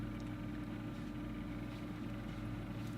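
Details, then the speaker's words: Old 3Com fibre-optic backbone network switch, its two fans wired in series to run at half speed: soft, steady low hum with no rattle or bearing whine, still plenty of airflow; normal quiet fan noise. "now a half speed on both fans I'm still getting plenty of airflow"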